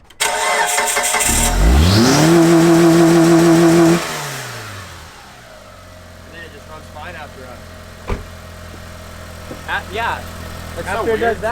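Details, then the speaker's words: 2004 Mitsubishi Lancer Sportback wagon, base model, just after a cold start: engine catches and flares high, holds briefly, then drops and hunts unevenly at idle; owner suspects the idle air control valve; erratic idle after cold start. "some weird stuff when you start it that's the only i don't know that's the only thing that's wrong"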